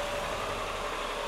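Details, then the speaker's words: 2001 Honda Insight gen 1 hybrid, about 320,000 miles, off the road 7 years, idling stone cold in a garage with bonnet up, loudest it gets: quiet even hum with soft steady hiss, no knocks or misses; normal cold idle. "this is the loudest you'll ever hear it inside a garage with the bonnet up"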